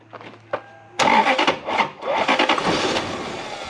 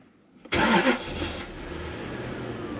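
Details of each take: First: Lexus LS400 UCF20, 1UZ-FE V8, with a white-plug ECU fitted to a grey-plug car: starter spins the engine in steady, even bursts but it never fires; crank no start from an incompatible ECU, fixable by swapping pins. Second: Lexus LS400 UCF20, non-VVT-i 1UZ-FE V8, test car for rebuilt ECUs: brief crank, instant catch with a short flare, then a smooth, steady low idle; clean, healthy start, car runs as it should.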